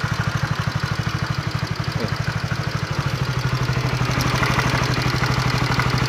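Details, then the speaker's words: Honda CB150R motorcycle idling after reassembly with a dry metallic ticking clatter on each firing beat, from a damaged cam chain tensioner and a scored camshaft bearing, likely from past oil starvation. "Hasilnya seperti ini karena stabilizernya stres ya, rusak. Sama lahar noken-nya itu, lahar timlar itu udah yang sebelah X itu ternyata sudah kegores, pernah kemakan kayak motor telat oli gitu. Jadinya seperti ini suaranya."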